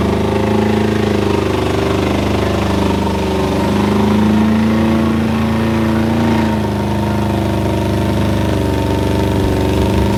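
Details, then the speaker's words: B20-swapped EK Honda Civic: a steady, high-pitched drone with no throttle blips, idle sitting around 4,000 rpm, far too high; owner suspects a stuck IACV. "And that makes me wonder if the IACV is stuck, that's why it's gonna be revving like that."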